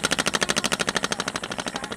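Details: Ceiling fan switched off and coasting down: rapid even knock about twelve times a second easing slightly as it slows; loose bearing in worn seat lets rotor shift, fixed with Fevi Kwik without replacing bearing.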